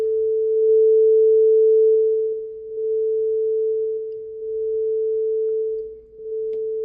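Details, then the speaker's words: Yamaha A-S3000 amplifier after right amp board replacement (shorted MOSFETs), switched on from standby, fed by a signal generator into Magnat speakers; starts normally, clean steady ~450 Hz test tone without hum, crackle or dropouts; normal output. "J'actionne l'interrupteur stand-by. Et vous l'entendez, il démarre tout à fait normalement."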